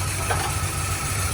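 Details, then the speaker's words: 2001 Ford Ranger 2.3L running rough with an uneven, shaky, lumpy idle and stumbles; codes P0171 (system too lean) and P0301 misfire, from a vacuum leak at a damaged plug on the intake manifold, not the throttle body; fix: seal plug or replace intake. "so this is where the leak evaporate is coming from so this little part right here is this damage so that's why the car is running later shaking and we got misfires"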